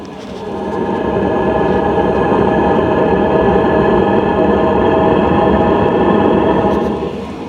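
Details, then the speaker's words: Hcalory TB2S Plus tent heater just kicked on after its clicking start, with fuel smell from the exhaust: a steady whooshing fan and burner roar, quieter than expected, with no knocks or surges. It is running normally. "It is a lot quieter than I would have expected. So it just kicked on. You can really hear it putting out the heat now."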